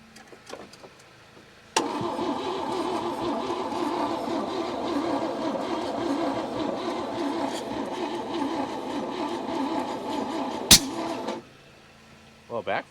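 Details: 1961 Chevy Biscayne, 235 inline-six, three-speed manual, sat 30-40 years in a junkyard, fed from a gas bottle on a jumped weak battery: several seconds of cranking then one sharp intake bang, never catches; backfire, timing or stuck valve suspected.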